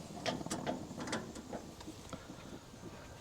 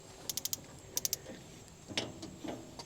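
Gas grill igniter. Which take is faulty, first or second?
second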